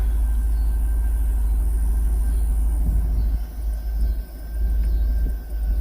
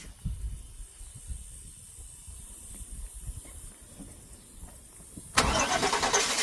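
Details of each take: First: 2000 Cadillac Escalade V8 idling at about 900 rpm after the distributor cap and rotor fix cured a crank-no-start: deep, steady low rumble with no stumble or hunting. This is the highest idle since it was bought. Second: 2000 Cadillac Escalade with a crank-no-start fault, after electrical repairs: long uneven cranking with sputters, then it suddenly catches and settles into a loud idle. The engine was flooded and smelled of gas.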